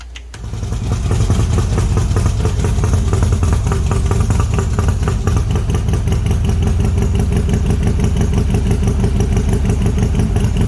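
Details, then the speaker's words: Freshly built Harley-Davidson V-twin engine with Wood cams, started for the first time since assembly: catches after a brief crank and settles into a steady, even, lumpy V-twin idle with no knocks or ticks; sounds healthy. "this is the first time the motor has been started since we put it look at together"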